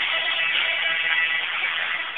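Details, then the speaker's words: Old tape-recorder speaker fed from a computer sound card after both nuts were retightened together, so the voice coil no longer scrapes the magnet. Guitar music plays clean and fairly loud with no scraping, rattle or buzz. Normal speaker playback. "That sounds pretty good and pretty loud as well."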